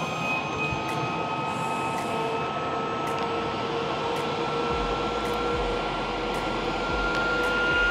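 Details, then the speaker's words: Eberspaecher Airtronic D5 5 kW diesel heater from 2013, on a functional check after a glow plug change. The pump runs and it tries to light with an airy roar and climbing whistle, then fails to start. Under-voltage is shown, with a voltage drop at the diagnostic adapter. "I don't know, it should have started because the exhaust is again under voltage. I also have the adapter connected for diagnosis, and there is also a voltage drop there."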